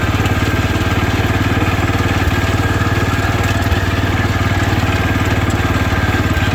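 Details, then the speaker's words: 1972 Wheel Horse Raider 12 lawn tractor, stored 15 years in a shed: single-cylinder thumping steadily at high idle, about 220 beats a minute; governor not working at all, revs too high unloaded and dies under load. "Well, I think I need to look at that governor, study up on it, see how you adjust it, because it's not working at all. It wants to rev way too high, and then you get it under load, and it just dies. The governor doesn't ever pick it up."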